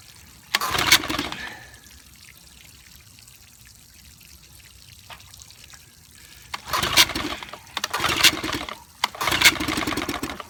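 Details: 1955 Evinrude 7.5 hp fleet twin outboard under restoration (new coils, cleaned/replacement carburetor, single-line fuel conversion): short spluttering bursts dying within a second, never settling into a steady run; won't keep running long enough to adjust the needle.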